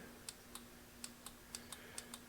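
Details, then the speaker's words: 1993 Yamaha Riva 125 scooter that won't start, test light shows no power at the starter: only light, sharp relay clicks about three a second, no starter motor turning; starter relay suspected. "This little light bulb should light up nothing but a click from a relay"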